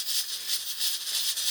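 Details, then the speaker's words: Pressure cooker with a rocker weight and about two cups of water: fierce hissing chuffs about four a second as the weight dances hard; the heat is too high and the pressure is overbuilding toward the blow-off valve. "now if you if you let it go too far I mean the reality is this should blow and then you can have a mess on the ceiling before this whole thing just blows up"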